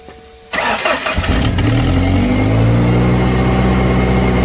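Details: Engine with low-power complaint, exhaust back-pressure gauge fitted, held around 2,000 rpm: a puffing tick rides the exhaust note, pointing to an exhaust manifold leak; gauge shows no back pressure, one manifold bolt previously removed.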